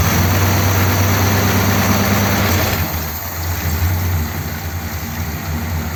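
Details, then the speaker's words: 1957 Ford Thunderbird V8 with its original four-barrel carburetor restored, choke not yet fitted, idling in the garage: steady low even burble around three pulses a second, maybe slightly lumpy but running fine. Normal idle. "seems okay sounds like it might be slightly r I think out in on the street when it's just in normal use and being run it'll be better than just idling here"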